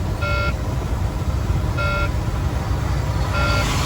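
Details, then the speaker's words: Semi truck air system failure on the highway, pulling off to park: three evenly spaced beeps about every 1.5 seconds over truck rumble as the low air pressure warning sounds; losing all air locks the brakes. Low air pressure warning buzzer. "Yeah, we're losing air pressure. That's a warning light for air pressure for anybody that doesn't know"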